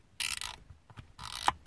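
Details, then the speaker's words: Used HVAC control head from a 1995 Chevy Suburban whose AC and recirc buttons failed: gritty ratcheting clicks as the dials turn, unlike the quiet new unit; worn control dial detents. "This is the one that came out of the 95 Suburban. And if you listen, you can hear the dials."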